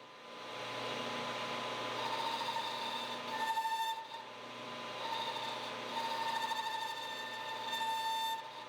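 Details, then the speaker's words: Metal lathe boring a bore in a 5C collet block: piercing wavering squeal near 900 Hz in bursts as the boring bar chatters feeding in; fixed by feeding out of the part instead. "Except that sounds awful. After too much time messing around it turns out the boring bar is a lot happier feeding out of the part rather than in."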